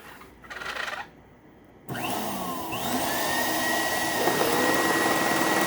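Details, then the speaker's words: Old donated upright vacuum with a paper bag fitted: the motor spins up to a high whine with a rough rattle about four times per second. A bad brush roll is suspected. "That's probably why they donated it, because that brush roller sounds really bad. It actually sounds similar to what my X5 was doing, interestingly enough."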